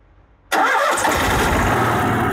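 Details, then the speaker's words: Cummins Onan QG5500 gas RV generator with Code 45, flashing light, not making power despite new spark plugs: starts straight away but runs slightly uneven and won't hold speed; cause found to be broken brush block. "it says we're not making power and you can hear that it's it's off it's not running well"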